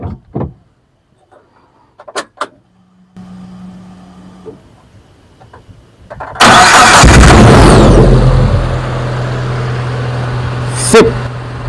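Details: Suzuki APV / Mega Carry after replacing the faulty relay: quiet clicks, brief crank, engine fires and settles into a smooth, steady idle with no misses; starts and runs normally.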